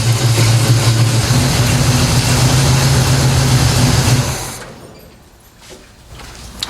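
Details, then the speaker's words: 1970 Pontiac LeMans 455 V8 with violator pipes, just refilled with Schaeffer's 20W50 high-zinc oil and Type F fluid in the Turbo 350, started before warm-up; deep, even, steady idle rumble, no leaks, motor sounds good. "yeah that sounds good to me no leaks pipes violator pipes sound good motor sounds good"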